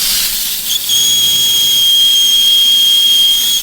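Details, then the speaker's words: 1996 Chevrolet Silverado 6.5 L turbo diesel on a boost leak test at the compressor housing: a loud, steady high hiss with a whistle. The boost gauge airline at the intake plenum blew off and was left wide open. "so what is that that is a connection to the intake plenum that goes directly into the cab it's a it's basically just an airline that goes to my Boost PSI gauge right when I boost leak tested it it blew it off completely and then it was just wide open"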